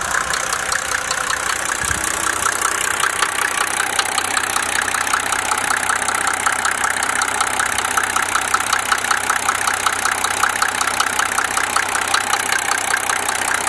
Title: Mercedes om603 engine knock